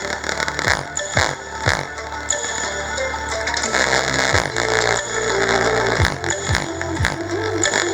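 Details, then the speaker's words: Home theater speaker playing music harsh and buzzy with crackly, torn distortion on every beat; fixed by soldering an external wire, after which the distortion stopped. "Guys, आप देख सकते हैं अभी भी distortion बहुत ज़्यादा आ रही"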